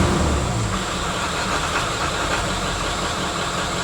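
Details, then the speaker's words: 1996 Ford F-350 1-ton Power Stroke diesel dually, repossessed and sat about 2 months: idle clatter with uneven beat, a cylinder now and then dropping out; owner suspects an injector still not quite right, hopes driving will straighten it. Rough idle, intermittent misfire. "yeah still run just a little uneven I just hear that that just trying sometimes not to work"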